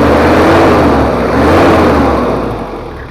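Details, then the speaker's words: Toyota Kijang 2L diesel after engine overhaul for low compression and abnormal noise, stock exhaust, not yet fine-tuned; smooth even idle with steady low rumble, no knocks or misses. Normal idle. "suaranya Udah halus ini adalah suaranya jadi suaranya itu knalpot standart"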